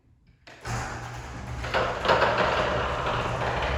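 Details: Wayne Dalton garage door opener starting and rumbling along, with a couple of loud, sharp pops as the door opens and closes. Popping noise during garage door travel.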